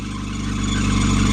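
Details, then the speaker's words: Ford small Endura petrol engine started after a battery swap: a thin, steady high squeak over low rumble as revs rise from idle; WD-40 tried; the alternator is dry with its bearings gone. "Proper dry that alternator, innit? bearings gone in that alternator."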